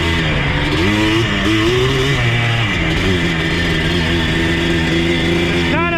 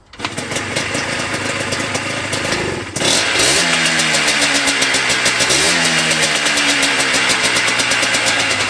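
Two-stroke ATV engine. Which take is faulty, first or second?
first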